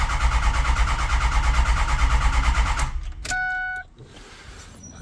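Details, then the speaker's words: Ford 6.0 Powerstroke diesel truck, crank-no-start; gauges showed no high-pressure oil, and the owner suspects the recently replaced high-pressure oil pump. Steady starter cranking at about three pulses a second, never catching: cranks but won't fire. "okay trying again might be the high press oil pump again but that just got done so that would be covered under warranty"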